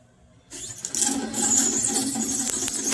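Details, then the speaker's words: Dolphin S 300i pool robot reassembled after temporary guitar-pick fix for slipping drive (motor itself good), turn-on test. Thin steady high-pitched motor whir runs evenly; drive turning normally. "let's see if it could keeps going or not I don't know if that's normal it's like a turn on test thing or whatever"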